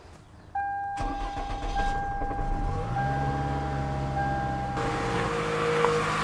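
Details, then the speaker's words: 2002 Toyota Camry 2.4 after engine replacement, first start: starter spins briefly, engine catches cleanly and settles into a smooth steady idle, no knocks or misses; light smoke from grease on the exhaust is normal. "sounds good things will be smoking a little because of grease and stuff getting on the exhaust and all that stuff that's normal that will burn off and go away"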